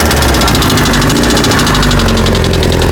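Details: 1998 Kawasaki ZX6R at idle, bought with the noise: fast, even light knocking rattle over a busy idle; owner was told valves or cam chain, wonders about rod knock; engine knocking, source unknown.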